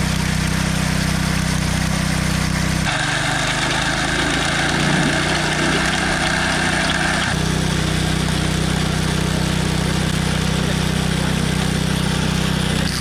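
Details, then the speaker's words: Post hole auger small engine drones steadily, then its note drops and a rough rattle rises as the auger bites into rock while digging; size of the rock not yet known. "okay there you can hear it kind of rattling there's rock in there and we'll find out after we go a little bit more that Rocky's a big rock or a book Raj typically they get broken up"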